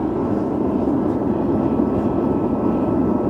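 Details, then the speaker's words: SunFire radiant heater on diesel or kerosene, just lit outdoors after priming: steady, even burner roar with no sputter or popping; heater firing and running normally. "Now I think we can just turn this on. See what happens. Ooh, there we go. Sweet."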